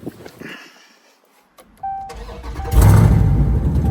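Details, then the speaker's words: Dodge Charger after crank-no-start repair: aftermarket AutoZone fuel pump replaced with new OEM Mopar pump (ABS module also replaced); short crank catches within a second into firm, even idle; clean normal start. "we went ahead and take this one out the old one put a new one OEM Mopar and now she's starting right"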